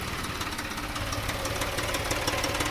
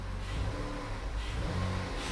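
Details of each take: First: 2014 Dodge Journey 3.6 after cam replacement, check engine light on: after 30 seconds to a minute of warm idle, a light, even metallic rattle about twice a second appears; source unknown, owner says it sounds like missing on a couple of cylinders. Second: 2014 Dodge Journey 3.6 after cam replacement, check engine light on: freshly restarted, engine revs up smoothly and settles to a good idle around 900 rpm with no misses, knocks or rattles, before the rough running returns; normal rev.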